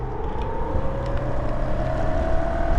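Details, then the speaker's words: Bafang BBS02 mid-drive motor run on 72V after damage, riding at about 800 W peak (power limit 1700 W), sensor around 38°C and rising: rising motor whine over a rough rumble, noisier than it should be; cause not yet found. "all right so this is about 800 WTS it's making some noise so what happens when I shift it in"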